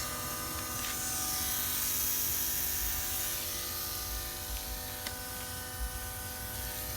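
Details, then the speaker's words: Mazdaspeed 3 with newly fitted port-injection methanol system: a steady, fixed-pitch high electric buzz as the pump primes with key on, pressure about 43, no leaks seen; loud now but normal and expected to be inaudible once running. "pump probably seems loud now but once the car is running you won't even hear it"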